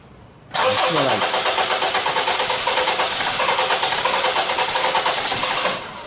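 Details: 2001/2002 Honda CR-V, filthy engine, starts then cuts out when foot comes off the accelerator, P0341 CMP/CKP incorrect-phase code: fires and runs raggedly about five seconds, then cuts out abruptly; stalls after starting, cause unclear.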